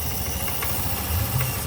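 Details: Honda Beat K25 scooter in a case about a burned ECM: a low, steady putter with an even beat and no knocks or stumbles; it idles normally.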